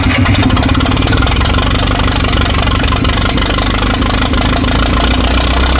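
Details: 1964 LeRoi 125G1 trailer air compressor, no muffler (straight pipe), warming up with the output wide open so pressure stays low: loud, steady low rumble with raw open-pipe bark, even and unbroken; runs normally.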